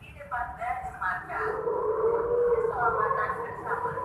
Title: SUARA ANEH DI MEGAPHONE / TOA TRAFFIC LIGHT SIMPANG 5 JALAN MAYJEN SUTOYO.S BANJARMASIN TENGAH